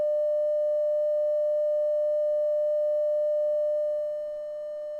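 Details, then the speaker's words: Telefunken Operette 8 tube radio under restoration: a 600 Hz, 100 mV test signal through the pickup input plays as a steady, pure mid-pitched tone from the speaker with no buzz or distortion; the amplifier passes signal properly. "I've got a 600 ohm 600 Hertz signal coming in it's at 100 millivolts or a mess and I'm going to drop the volume turn on pick up input and we have our signal brilliant brilliant"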